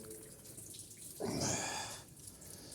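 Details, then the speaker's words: Car with coolant drained to check for oil in the cooling system, then refilled; car stopped at about 47 degrees. A soft watery gurgle swells for about a second as trapped air burps out of the coolant. "You'll hear a little gurgling noise in a minute. That's going down."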